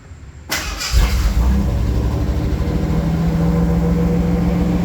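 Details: 1988 Ford Bronco II after replacing clogged fuel filter and both fuel pumps, primed then started: brief crank, immediate catch, steady even idle with smooth low hum. Normal start and idle.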